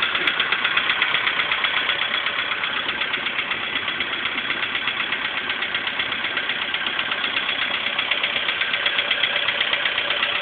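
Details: VW Polo Sedan engine at idle before piston group replacement: a sharp, even knocking about four times a second rides over the idle. A clear internal engine knock; cause suspected, not confirmed.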